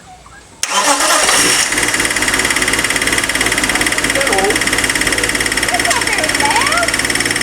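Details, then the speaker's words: BMW E36 M3 Evo S50B32 engine on a test stand, first start with factory ECU; catches and settles into fast idle with a light quick tap from the bottom end, suspected S50B30 windage tray contacting the crank. "got a bit of a tap in it bit of a sounds like a a light uh bottom end knock but I don't think it is um suspect it might be the uh 3 l the s50 B30 windage tray which I've used cuz I'm using the s50 B30 sump"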